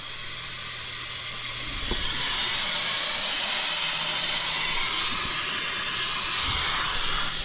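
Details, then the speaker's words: Truck AC with a newly installed compressor: loud continuous high hiss that rises and holds steady as refrigerant blows out of the bottom of a blown AC line, not the compressor. "Oh yeah, it's coming from the bottom of that line. That line blew out."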